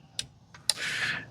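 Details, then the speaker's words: Good relay tested on a battery-powered relay tester during a no-start, no-click John Deere zero-turn repair: sharp, crisp clicks as the relay flicks on and off cleanly; normal relay clicking. "it just flicks it on and off it tells you that is good if it's red it's bad"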